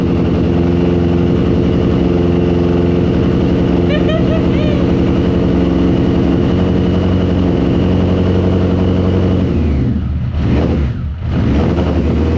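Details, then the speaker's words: BMW K100 cafe racer build, retry after switching off: engine fires properly with a steady throaty exhaust beat for about ten seconds, then falters and dies; owner suspects the fuel mixture. "Of course, after I turned it off and I tried one more time, it actually fired to life properly, but not for very long before it died. So I'm assuming this is my mixture."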